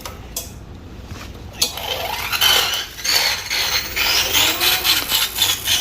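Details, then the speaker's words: Motovelo TX8 e-bike with rear hub motor E24 error, run on a repair stand after battery reinsertion: the motor drives with no alarm, and a rhythmic scraping swish about four times a second is just the wheel brushing the stand. The error will return in cold weather, so the motor needs opening to remove an internal resistor. "요건 여기 거치대에 닿는 소리고요. 이제 네, 지금 구동이 되고 있습니다. 알람 발생 안 되고 있고요. 네, 이 소리는 거치대에 스쳐서 나는 소리고요."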